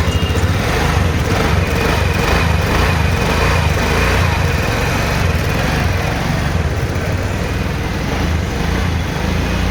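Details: TVS Ntorq 125 BS6 Race Edition scooter after valve clearance adjustment (intake 0.04 mm, exhaust 0.07 mm): steady single-cylinder putter, even and unbroken with no ticking or knocking; engine now running healthy.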